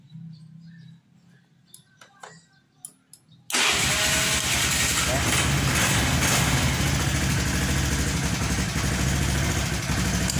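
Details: Honda automatic scooter (Beat/Vario), starter circuit rewired to bypass weak double-starter relay path: starter catches cleanly first try and engine settles into steady, even run without weak clicking; normal electric start.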